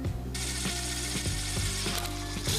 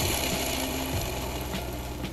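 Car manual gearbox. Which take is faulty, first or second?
second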